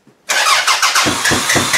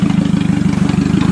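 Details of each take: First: Toyota Camry demolition derby car, third day not running after it ran fine, OBD1 bypass done: even cranking about four turns a second with no firing; crank no start traced to no power to the engine computer, fixed by jumping power to it. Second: Toyota Camry demolition derby car after jumping power to the computer, floored in a test run on dirt, earlier hesitation at idle in park: fast, even firing with steady power, no stumble or hesitation; running normally.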